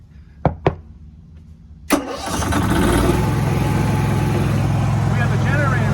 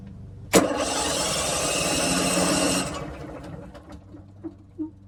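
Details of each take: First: RV generator started by push button after battery replacement: a click, then the engine catches and settles into a steady, even drone with no knocks or surges; healthy start and run. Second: RV generator long unstarted, cranked on newly installed replacement batteries; starter spins the engine evenly for over two seconds with no firing at all; cranks but won't start.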